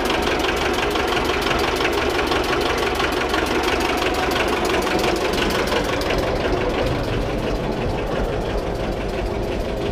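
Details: Old diesel in homemade boat, just started via decompressor and glow plug: even clatter about three beats a second, steady and settling; oil pressure coming up, charging positive. Normal diesel idle.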